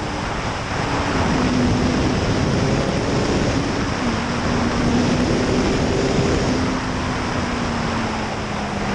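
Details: 2005 Suzuki GSX-R 750 riding after transmission repair replacing worn sixth gear parts: engine note climbs steadily under heavy wind rush, pulling clean through the gears without flare or slip; normal engine under acceleration.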